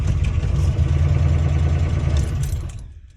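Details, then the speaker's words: Worn Ford 351W V8 in truck driven at about 20 mph, smoking heavily with no oil pressure, knocks above 1500 rpm: busy fast light clatter about four per second like a sewing machine over rough running; worn engine ticking and knocking. "it is not happy look at this smoke [Music] sounds like a sewing machine"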